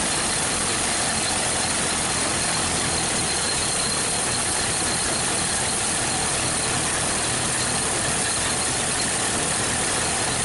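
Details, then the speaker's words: 1931 Ford Model A first start in years, side cover unbolted; steady low chuff under loud hiss, no clear knock; smoking with small leak, penetrant sprayed in cylinders, two cylinders low compression so rings suspected; smoking on first start. "oh she's smoking hope you hope the playroom okay so we've got a little leak"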